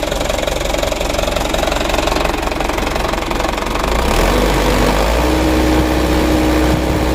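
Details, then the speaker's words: Mitsubishi Canter diesel truck idling; harsh regular rattle about three times a second over the rumble from the left side; mechanic suspects timing gears or injection pump camshaft bearing, not confirmed: rough idle noise. "suara mesinnya beda ini kita matikan dulu teman-teman ya sudah sama-sama kita coba dan kita dengar suara mesinnya itu lumayan kasar"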